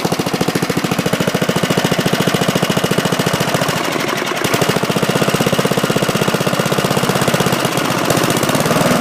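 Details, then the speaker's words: Bolens mulching mower with 3.5 hp Briggs & Stratton after new spark plug, carburetor cleaned and rebuilt, blade sharpened, fresh gas and oil change: quick, even, steady single-cylinder beat with no misses or knocks; normal running. "It has a 3.5 horsepower Briggs and Stratton, and all I had to do was put in a new spark plug, and I cleaned out the carburetor, took it all apart, put it back together."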